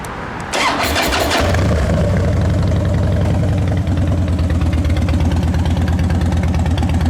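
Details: 2010 Harley-Davidson Dyna Wide Glide V-twin, fired up again after a new battery, clutch adjustment and fresh gas: a brief crank, catches at once and settles into a deep, even, loping idle. Normal start and idle.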